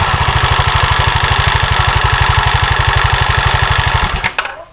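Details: Honda Vario 110 carbureted scooter, engine idling with the CVT cover opened: fast, harsh, rattly chatter before shutdown; rough noise from the CVT, cause not yet found, roller housing to be checked for lack of grease.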